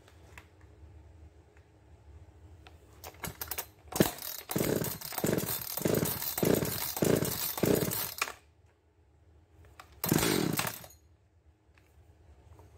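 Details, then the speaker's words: Two-stroke chainsaw on a dyno with a deliberately lean carburetor tune: engine surges in short uneven pulses, hunting and starving, then putters out and dies; a lean stall. "that's a lean stall you hear it kind of hunting and starving and then it finally just putters out like that"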